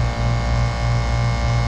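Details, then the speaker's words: McQuay water-source heat pump in cooling mode, compressor labouring with a deep steady hum as head pressure climbs to about 290–300 psi with 70°F inlet water; high head pressure. "50 listen to it getting louder and louder [Music] [Applause] let's see what's the temperature of this water [Applause] see the head pressure is getting high 290 so that was definitely high head"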